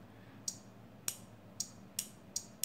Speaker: you plug this in and you can see the light is flashing and you can hear the clicking of the relay